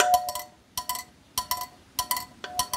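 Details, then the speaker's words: Bosch K-Jetronic air metering unit, plate centred and bolts tightened: light, crisp metallic clicks in quick groups as the air plate is lifted and dropped onto its spring, no scraping; sensor plate moves freely. "You want that noise, and that noise is sitting on the spring."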